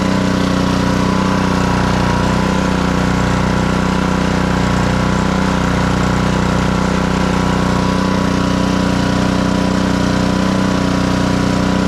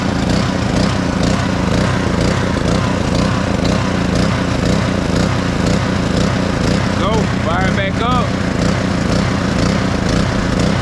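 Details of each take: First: Black Max pressure washer with Honda GCV160 engine after repair of a crank-no-start and throttle adjustment, running with hose connected: steady even note, no hunting, stumbling or misfire; fully operational. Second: Black Max pressure washer with a Honda GCV160 engine, a crank-no-start repaired, first run on choke: the small engine fires and runs with a slightly uneven, wavering beat, speed not holding steady; throttle needs adjusting.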